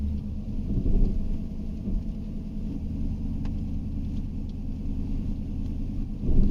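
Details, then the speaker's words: 2010 Chevrolet Silverado 5.3L V8 with intermittent P0300 random and P0304 cylinder 4 misfire codes: idling in gear, brake-torqued, after the work, a deep even rumble with rpm dead smooth and no misfires. "it's running super smooth look at our RPMs RPMs are like dead smooth"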